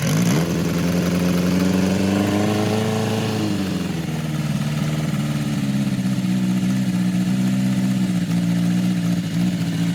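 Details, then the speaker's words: 1980 Kawasaki KZ1000-A4 four-cylinder with leaking head gasket, stripped head bolt and non-stock flat-slide carbs: revs then idles lumpy, sounding like one cylinder is down; owner says it runs better warm, but it still runs poorly. "yeah he said when it warms up it runs better but in my opinion it just didn't run right"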